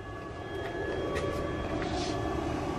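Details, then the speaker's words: Power inverter fed straight from a battery at 13.4 volts with no charger connected, just switched on: steady faint whir with a constant high-pitched tone and no rattle; the inverter's cooling fan runs normally. "now I'm going to turn the inverter on it is on you can hear it running"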